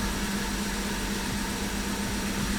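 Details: BMW F15 X5 xDrive35i with N55 engine, after new spark plugs but before clearing codes. Steady idle with a slightly uneven, lumpy beat and faint stumbles: still misfiring, rough idle.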